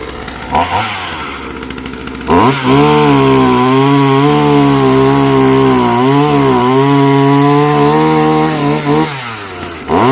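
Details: Chainsaw assembled from parts of three broken saws, after compression check and chain tensioning, first start; fires, idles briefly, then holds a strong steady high rev under cutting load with no misfire or stumbling; normal running.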